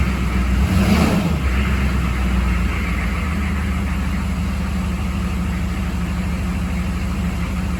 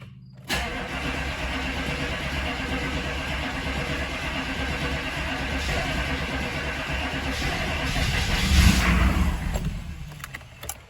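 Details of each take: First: 6.5 diesel truck after fixing fuel starvation that made it run out of fuel and die, possibly air in the line: short rev then steady even clatter, runs smooth but still some hesitation. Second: 6.5 diesel that had been running out of fuel and dying, possibly air in the fuel line: long uneven cranking that builds, flares briefly, then fades without settling into idle; hard starting, still some hesitation once running.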